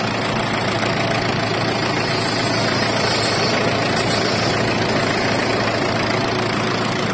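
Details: Ford Everest diesel that wouldn't start, after an engine replacement and a glow plug fix: steady diesel clatter at idle, even and holding speed with no stumbling. Normal idle.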